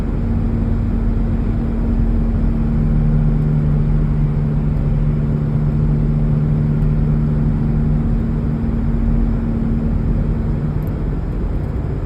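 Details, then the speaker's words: 2004 Cadillac SRX driving after broken spring replaced: steady low howl under road noise, coming and going especially through curves, with vibration; owner suspects a front wheel bearing. "I don't know if you can hear it but here in the background you hear this like howling it kind of comes and goes a little bit especially if I make a turn"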